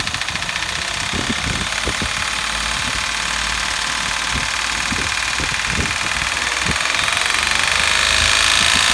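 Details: 2008 Daihatsu Hijet Cargo S331V, KF-VE engine, 100,266 km, at idle: sharp, hard, uneven knocks about three a second; not fixed by new timing chain or valve clearance adjustment, rod bearings fine; teardown found the number 1 piston seized.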